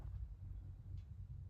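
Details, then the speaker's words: Older York furnace showing three flashes (pressure switch stuck open) because the draft inducer won't start; inducer motor only hums, hot, rotor locked; capacitor reads 3.7 of 4 µF, slightly weak but adequate, so inducer motor is seized. "sounds like the draft inducer is buzzing oh yeah it's hot we got a locked up inducer here guys"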